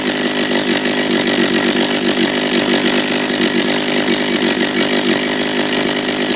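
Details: Japanese-made John Deere EV45 two-stroke chainsaw after carburetor rebuild, first start, no chain brake: crisp high buzzing note holding steady without surging or dying out; running clean and healthy.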